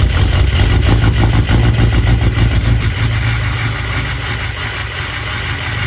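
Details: Ford 6.0 Power Stroke diesel at idle: a deep note with an uneven, lumpy pulse that stumbles every few beats. Attributed to bad injectors. Rough idle misfire.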